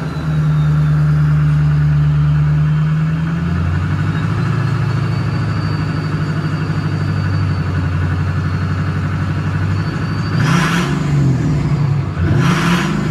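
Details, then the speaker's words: Newly built SoCal Diesel twin-turbo 1,000hp Duramax diesel, just fired up and not warm yet: steady idle with faint whistle, two quick blips bringing a clean turbo whoosh; healthy revving with turbo spool. "all right so I'm not gonna get on it too hard because we obviously just fired up and she's like not she's not really warm at all but listen to these [ __ ] terpskies oh yeah"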